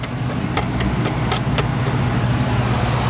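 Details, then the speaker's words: Ford Mustang GT electrical fault, key on: about six sharp, uneven clicks over a low hum as the fuse is jiggled; fuse not blown, loose fuse panel terminal making the circuit cut in and out, fuse had been bent. "That is interesting. The fuse is not blown, but the fuse panel has got a problem. And I know there's a problem because they've been bending the fuse to get it to work."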